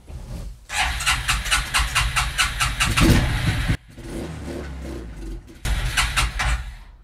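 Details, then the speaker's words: 1994 Suzuki QuadRunner 250 4x4 ATV after years sitting, fresh fuel in the tank and fuel at the carb; cranks and runs a few seconds on starter fluid only, then stalls because it picks up no fuel; owner suspects the carb needle is stuck and plans a rebuild. "so i was doing this before and it runs for a little bit just on the starter fluid and it's not picking up any fuel there's fuel at the carb"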